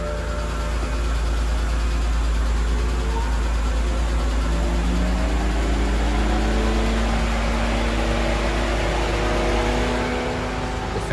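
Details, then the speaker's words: BMW E90 with bad electric water pump, just after start-up: loud steady rushing roar over the idle, fan tone climbing as the radiator cooling fan goes straight to full speed. "fan pretty much kicks on to max right away. So we're gonna fix that."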